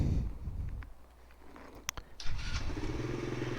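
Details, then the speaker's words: Grom clone motorcycle freshly fitted with a Nibbi carburetor and an exhaust with the baffle still in: after a pause it starts at once and settles into a steady, even idle. Normal start. "Started right up, just like that."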